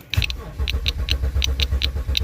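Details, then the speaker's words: BMW with DME problem, crank no start: starter churns steadily at about five turns a second and never fires. Injector signal missing, which points to the engine computer (DME) not pulsing the injectors; grounds and power still to be checked. "todo indica que es la computadora que no quiere mandarle la señal a Los inyectores"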